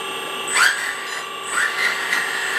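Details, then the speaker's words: RC4WD Earthdigger 360L 1/14-scale RC hydraulic excavator, new setup after filling and topping up hydraulic fluid: pump running as arm and bucket move; thin steady electric whine shifting pitch slightly, smooth with no strain or grinding; response excellent, normal hydraulic pump operation. "Okay, added a bit of fluid. Again, we'll turn on the hydraulic pump, arm, bucket."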